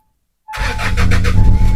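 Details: Hyundai Starex diesel that would not start, fixed by priming the feed pump and cleaning a very dirty fuel tank after a fuel rail pressure check-engine code, starts in one crank into a steady even clatter; normal start.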